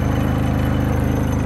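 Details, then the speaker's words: New Predator 3500 W inverter generator powering an RV air conditioner on high cool, not even idled up: even, steady drone with a fast regular exhaust beat and no hunting; running healthy under load. "it sounds pretty good i think uh that is a win i can't believe that it's not even idled up or anything"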